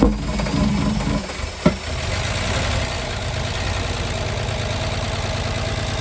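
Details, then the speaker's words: VW Jetta Mk3 VR6 12V, first start after engine swap, sat a long time, WD40 in cylinders: rough start then low idle with uneven, occasionally stumbling beat; slight misfire, owner suspects one injector and old fuel, not confirmed. "so it does have like a little uh M misfire in there but I think it's one injector it's it's too old Fuel and it's not it's been sitting for a while"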